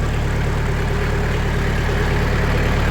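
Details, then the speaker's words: Sawmill engine at idle after 80 mil (2 mm) sound-deadening sheets were applied to the doors; the panel still visibly vibrates but no rattle is heard. Steady, even, smooth low idle drone, much quieter; normal idle. "It's quieter. You can see this is still rattling, but you don't hear it. That's impressive."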